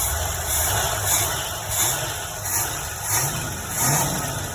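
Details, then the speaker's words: Old hot rod, freshly installed Holley carburetor straight out of the box and not yet adjusted: repeated throttle blips rise and fall cleanly over a steady idle, no stumble or backfire. Normal revving. "It don't sound bad. But we might be able to get a little bit more out of it. I haven't touched it yet. That's straight out of the box from Holley, so that's pretty dang good. I mean, I ain't got no stumble to it."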